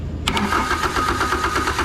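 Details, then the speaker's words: Isuzu diesel engine in an air compressor bought non-running, claimed about 60 hours, cranking with the injection pump powered: starter spins it at a flat, even beat without hitches or gallop, showing equal compression across cylinders; fuel is reaching the injectors. "Woo, she sounds healthy. Real healthy. Oh yeah, we're getting fuel."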